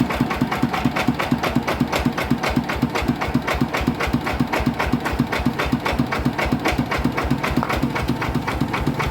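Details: Yanmar 160 single-cylinder diesel: hard, regular knock about four a second; bearing found dead and spinning in its loose housing, to be built up or bearing replaced.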